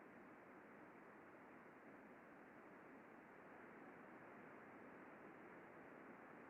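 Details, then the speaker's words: Healthy front bearing on a 4 RPM unwind stand at a roofing-material plant, heard with ultrasound: very smooth, quiet, soft steady hiss; a few faint impacts come from ridges in the material spool as it is pulled, not from bearing damage. "very smooth very quiet couple of evidence of impacts in here but this is actually a natural part of the process there's all kinds of ridges in this so as it turns it kind of pulls and you end up with these little ridges that are goes over very smooth though"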